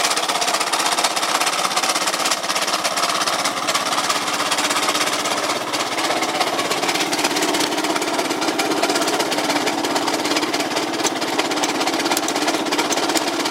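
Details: Yamaha Cygnus 125X FI scooter that won't move, drive not reaching the wheel (possibly a broken belt), FI lamp blinking at key-on; harsh, busy irregular clatter of about three beats a second from the engine, abnormal mechanical noise, cause unclear.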